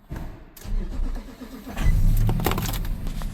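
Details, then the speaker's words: Key-fob vehicle during scan-tool relearn procedures: uneven starter churning for well over a second before the engine catches and settles; slow to fire, cause unclear. "See, I took a little extra time to start."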